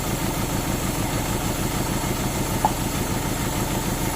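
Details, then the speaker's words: Euro-spec Mercedes 190E 2.0 with 5-speed manual: lumpy, uneven idle with a stumbling, irregular beat. It is misfiring on the spark plugs; two were pulled and cleaned, one works, one may be completely fouled. "as you saw we got it started up now it was misfiring and you guys saw us laughing but it was basically the spark plug we pulled those two out cleaned them off one of them is working right now I think one might be completely fouled out"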